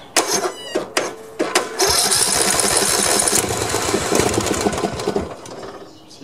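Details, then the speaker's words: Old Snapper 1438S rear-engine riding mower, carb cleaner sprayed in after earlier backfiring: sharp cranking pulls then a couple seconds of ragged firing that fades; engine tries to start but won't keep running. "tried so it did a lot better this time than uh than before before it just sounded like backfiring but at least this time it actually tried to crank"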